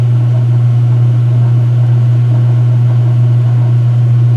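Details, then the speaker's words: Speed Queen washer washing sheets, low-speed spin: deep steady unwavering drone of the motor resonating on slow spin; sounds healthy, a very good normal low-speed spin. "Yeah, but even with low speed, it's honestly a very good spin."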